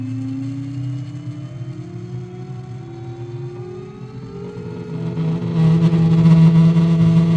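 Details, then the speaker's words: Superflux HT high-torque motor spinning free on a table, with SKF bearings: a smooth electric whine climbs steadily in pitch with no grinding, plus a little table vibration. The bearings are smooth. "okay now you will hear how smooth the SKF bearings are you might hear a little bit of noise because it's on the table so it's going to vibrate a little bit"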